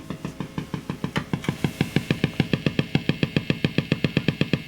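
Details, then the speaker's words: Marshall JTM45 MkII Model 2245 valve guitar amp after warming, guitar strummed; steady putt-putt thumping about four pulses a second: motorboating oscillation. "of motorboating sound interesting no idea what that is at the moment what an interesting noise i've never heard that before"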